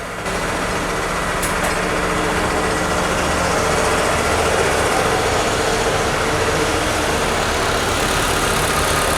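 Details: Waterlogged MG Hector petrol engine after the bent connecting rod and its piston were replaced: a steady, even idle with a smooth low rumble. The earlier misfire and knocking/pinging noise are gone, and it sounds healthy.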